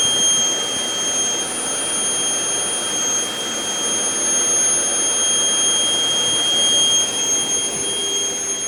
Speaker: thing is, yeah, if I tell boss if the bus is making a weird noise, it turns off. So still kind of weird. It's doing it every like couple of seconds.